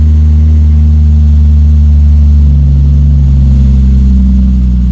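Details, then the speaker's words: Toyota 2JZ built for about 1000 hp with aggressive camshafts, during break-in held around 1800 rpm; deep, loping, uneven beat at high idle, a dull heavy sound from the big cams; lumpy idle from aggressive camshaft. "et là avec ses arbres à Cam là ça va normalement ça va faire un sale bruit au ralenti"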